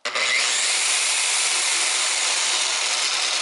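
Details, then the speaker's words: DeWalt rotary polisher (DWP849X listed), high-torque, at full speed on a table: steady high whirring hiss, with noisier buzzy gears and some table vibration, but even, normal running noise. "you could you can hear it you know vibrating table this this has got a lot of torque and the gears are definitely noisier it's definitely a little annoying to me"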